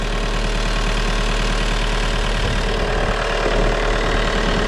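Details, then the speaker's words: VW Golf 4 diesel started to jump-start a Peugeot 206: clatters at a fast raised idle that holds high and creeps up without throttle, owner says it is fully accelerating on its own; runaway-style high idle, cause unknown. "Je démarre et je branche les câbles. Voilà. Ouais, il est en accéléré carrément."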